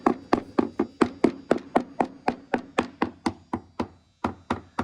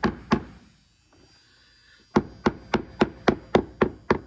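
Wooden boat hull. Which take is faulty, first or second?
second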